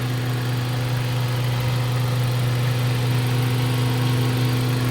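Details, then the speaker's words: Mazda 3 after repair of a boat-like engine noise, warm, during road test with air conditioning on and temperature normal: smooth, even low hum at idle, no knocking or flutter; normal idle. "So normal naman dito lahat. So yan, tahimik na siya mga bossing."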